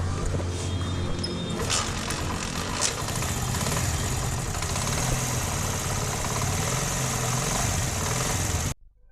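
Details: 2022 Honda CD70 after repairing a head/tappet noise: timing tightened, tappets adjusted, head refitted; small single idles with an even, quick beat and no sharp top-end ticking, valve train quiet; normal idle.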